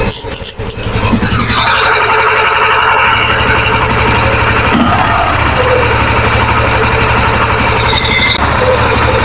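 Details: Yamaha FZ-V3 fuel-injected single-cylinder idling; loose uneven ticking rattle from the top end, about four a second, from worn timing chain, cam and rocker, fixed by replacing all three.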